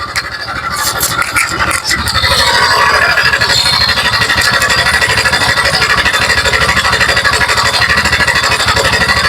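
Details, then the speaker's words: TVS NTorq 125cc scooter at idle: fast uneven metallic clatter, rough, tractor-like engine sound; on opening, a loose one-way (starter clutch) nut and the cam chain were found as causes, both to be repaired. "पूरा engine का sound पूरा tractor जैसा sound आ रहा है। ये sound मैं आपको बना के बताऊंगा दिखाऊंगा।"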